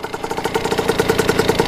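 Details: Kawasaki KX80 two-stroke with KX100 99cc big-bore cylinder, after new head gasket and fixed-up head cured coolant leak; quick crisp popping around fifteen a second with slight uneven build, settling into clean warm idle; owner says it runs really crispy.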